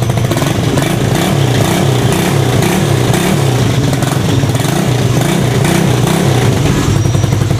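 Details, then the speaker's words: DOHC motorcycle engine after valve clearance adjustment (leaking valve, clearance set without changing shims); steady, even low thump with a light throttle blip, no ticking or misfire; idling normally after valve work. "Oke motor sudah hidup UD mau langsam normal ya Ini masalah di klep tadi"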